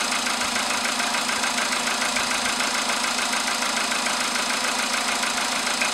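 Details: VW Polo sedan with CFN engine, started in the morning after a night at about 10°C outside: a fast, regular knock of about three per second over the cold idle; engine knock, source undetermined.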